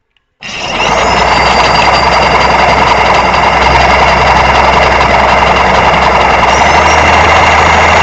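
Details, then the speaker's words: Electric motor running with microphone close: loud steady gritty rumble with rough rasping edge, spins then stops quickly; worn motor bearings. "pero el motor gira y se detiene rápido vamos a escucharlo modo en reversa y se frena"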